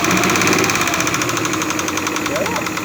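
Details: Suzuki F5A three-cylinder engine at idle: steady, fairly quick knock about four a second riding on the idle, from a defective camshaft.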